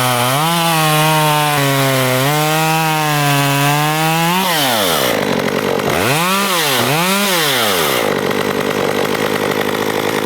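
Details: STIHL MS194T two-stroke chainsaw, customer complaint of bogging, fuel checked good, after quick servicing with a new chain fitted: revs up cleanly, dips steadily under load in the wood and recovers without stumbling; it runs healthy.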